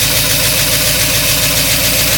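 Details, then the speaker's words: 1953 Oldsmobile Rocket Super 88 barn find warming up after a new Edelbrock carburetor, choke off. Loud but even, steady idle with no skips, knocks or hunting, sounding louder through holes in the floor. Normal idle. "not too bad let it warm up missus add and it will go driving around the car sounds really loud because this is a literal hole I can see the transmission from here"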